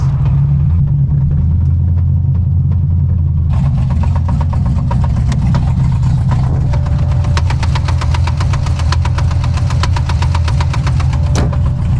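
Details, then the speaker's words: 2006 Corvette Z06 that began knocking badly while driving: on startup a loud, sharp, heavy knock taps rapidly in time with the idle. It sounded almost like rod knock, but the shop found it was not; the cause was a loose rocker arm. "Something does not sound right. No, what is that, dude? I don't want to say the word, but it's like a knocking noise."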